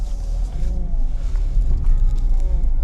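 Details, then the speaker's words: BMW E36 328i driving after a new rear differential bushing cured the knocking from the back: steady low road rumble, no knocking or clunking from the rear; differential sounds quiet and healthy. "But my major issue with the rear diff is fixed, so I'm happy with this."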